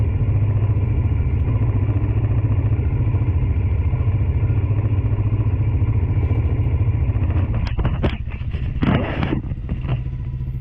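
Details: Tao Tao 110cc ATV quad after new carburetor and intake, choke partly on, started on jump pack: small single at steady even fast idle, running clean, some handling clatter at end; sounds better than old carb; normal running.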